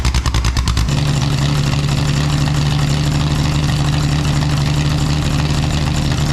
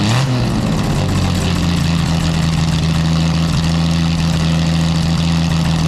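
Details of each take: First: Home-made exhaust for a Jaguar D-Type replica, recorded without its built-in silencers: deep, raw, very loud roar with a crackly edge and a short blip near the end; the silencers later take out the cracking. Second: Jaguar D-Type with a newly made exhaust with built-in silencers, compared against the exhaust without them. A deep, loud engine note holds steady after a quick blip, still very loud but smoother, with the crackle gone.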